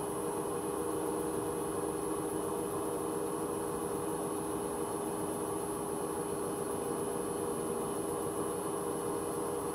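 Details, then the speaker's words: Hoover H-wash 300 Plus washing machine, empty spin-only cycle at 600 rpm: steady high-pitched whine over the spin rush, owner noticed pulsing start on reaching 600 and is unsure if normal; worn drum bearings possible but unconfirmed. "Is it me or did that start pulsing at the start of the spin? When I got to 600, it started pulsing."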